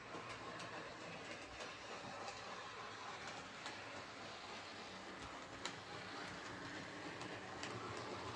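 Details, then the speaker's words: Bachmann Webb Coal Tank 0-6-2 model locomotive pulling coaches after filing a bad wheel flange smooth: even rolling hum with light scattered rail clicks and no rhythmic clunk. Runs smoothly, clunking gone. "Yep, that's all it was, just that bad flange. So let's pull this out again with the coaches. No problem at all. No more clunking."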